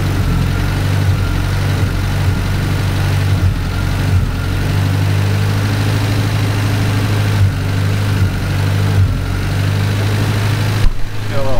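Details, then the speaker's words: Cushman kei mini truck after engine rebuild: a low, lumpy idle that wavers and surges, not yet settled, needing idle air screw carburetor adjustment. "a little carburetor adjustment we're going to figure the idle air screw out and adjust that a little bit and get her to settle down here and just Smooth Up"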